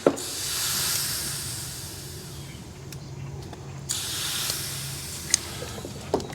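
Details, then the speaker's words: Air helper bag install on a 2019-up GMC Sierra/Chevrolet Silverado. Sharp, second-long hissing bursts as the bags are aired up from zero psi. The leak was found at the T-fitting. "I think it's leaking on my plug here. Uh-oh. It's leaking somewhere. I got a leak."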